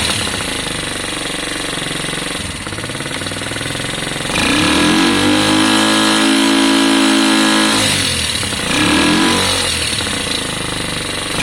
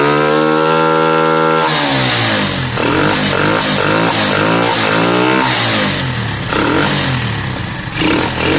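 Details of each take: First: Lexmoto Valiant converted from EFI to carburettor: engine revs up twice but the note flattens and won't climb to a scream; suspected loose valve clearance, and owner also considers changing the jet from 105 toward 90. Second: Lexmoto Valiant motorcycle after an EFI-to-carburettor conversion, on the stand; the engine catches and revs climb and fall in quick blips, crisp and even, peaking higher than before. Valve issues are also noted.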